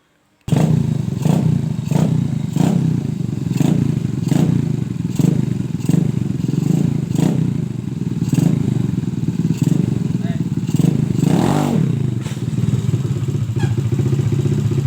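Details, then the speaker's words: Suzuki Shogun single-cylinder, trail-modified for heavy loads, after cleaning a carburetor that was restricting fuel. A strong, even drone picks up cleanly when the throttle opens, with no hesitation, showing the fuel delivery is restored. "Nah, sepeda motor ini pasti enak buat untuk tarikan setelah selesai untuk menguras atau membersihkan pada karbu yang tidak normal ya, agak terhambat bahan bakarnya."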